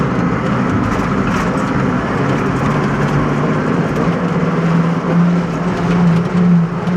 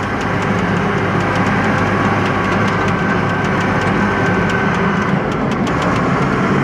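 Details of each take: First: Roughly 40-year-old John Deere 862 scraper driving in fifth gear: steady low hum over a rough diesel drone; operator dislikes the gearbox noise in fifth, source undetermined. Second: Forty-year-old John Deere 862 scraper diesel, driven in fourth gear (second switch only): steady, even drone with smooth low rumble and no knocks, grinding or whine; normal running, unlike the noisy fifth gear.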